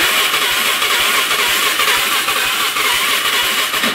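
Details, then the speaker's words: 2005 Can-Am Outlander 400 Max ATV, 5,486 miles, 612 hours: starter spins the single briskly at about two even compression pulses a second but it never catches. Owner suspects fuel rather than low compression; not confirmed. "Turns over just fine. It sounds good cranking."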